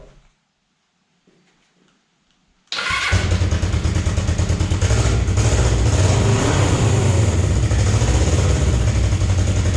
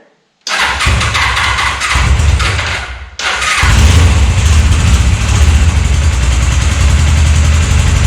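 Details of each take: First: Damaged Suzuki GS500 parts bike (bent forks, broken gauge cover), started with the clutch held: it catches instantly and settles into an even, steady idle with no stumble, smoother than the other GS500. A normal start and idle. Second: 1998 Suzuki GS500 twin after carbs refitted, starting without choke: low, slightly lumpy idle, below the roughly 1250 rpm owner expects, with light ticking; owner hears valve train and maybe timing chain noise but thinks it runs fine.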